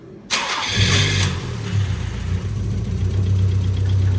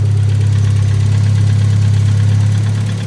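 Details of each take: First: Nissan Figaro after an exhaust manifold change: short crank, then catches and settles into a steady, even low idle with no ticking from the exhaust side; sounds a lot better. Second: Nissan Figaro after an exhaust manifold change: deep, loud droning idle with a puffing throb and no mechanical knock; exhaust blowing somewhere at the centre silencer box.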